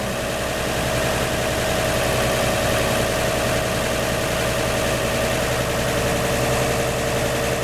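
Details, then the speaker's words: 1949 Chevy 3100 with 1954 235 six and Fenton cast-iron headers, after replacing the leaky front exhaust donut: steady, even idle with no exhaust puffing or ticking; leak fixed. "all right the moment of truth all right that seems to have gotten it"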